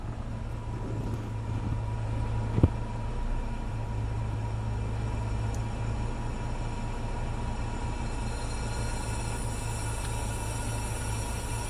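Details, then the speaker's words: Car idling with A/C on, blower not sped up: thin steady whistle and hiss above the engine rumble from a refrigerant (R134a) leak at the A/C evaporator, with strong cabin odor and no cooling. "Ahorita vamos a escuchar el silbido de una fuga que está proveniente del evaporador del aire acondicionado, el cual se escucha sin acelerar la unidad ni aumentar la velocidad del motor soplador."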